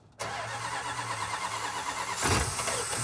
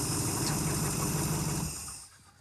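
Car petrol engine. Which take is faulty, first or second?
first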